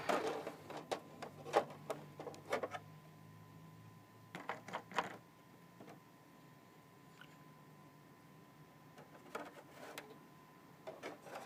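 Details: Xbox 360 Slim DVD drive with an old game disc: bursts of rapid clicking and light grinding with faint whir between; laser moving back and forth, seeking without settling.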